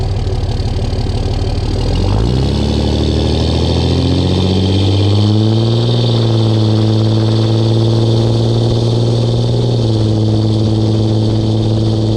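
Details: 2004 Dodge Ram 5.9 Cummins diesel on a test drive with a new MBRP S6104P exhaust, GoPro mounted near the exhaust, under load: a deep, even rumble climbs through each gear with no drone or rattle. Normal exhaust note.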